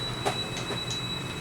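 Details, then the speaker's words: Multimeter continuity test on an amplifier's new filter capacitor gives a steady, unbroken high-pitched beep and a zero reading, showing the capacitor dead shorted, the cause of the amplifier short circuit. "ये beep की आवाज़ सुनाई दे रही है आपको, और reading देखिए, पूरा 0 के 0 हो गया।"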